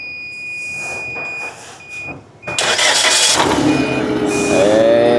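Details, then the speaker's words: Forklift engine started after fitting 4 new coils and 4 new NGK iridium spark plugs: warning beeps, quick catch, steady even run with no misfire; a squeaky belt noted afterward; normal start and idle. "I'm gonna turn it on real quick and see how it runs with 4 new coils, 4 new spark plugs."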